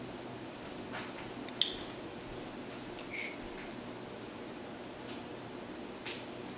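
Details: SubZero 736TC freezer drawers: an abnormal single sharp click over a quiet hum, repeating in a roughly 2.5-minute cycle since a factory repair. The freezer is not cooling properly and shows 35-46 degrees.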